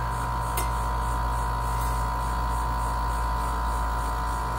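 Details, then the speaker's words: Dometic RV air conditioner cooling but fan not blowing, with 116 V reaching the fan on high and the motor extremely hot: steady hum as the fan runs after a hand spin with a meter; failed fan run capacitor suspected. "spun it with my meter and now we've got fans so i'm very suspect of the uh capacitor"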